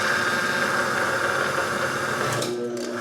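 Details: Land Rover 300Tdi power steering pump after resealing to fix a leak, on a motor-driven bench rig run about half an hour: steady even whirring, faint high tone, no knocks or grinding; pump healthy, building pressure.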